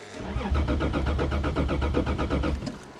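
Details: Toyota left sitting, cold snowy December start, with a suspected battery connection issue: steady starter cranking at about four pulses a second for over two seconds, never catching; cranks but won't start, cause not confirmed.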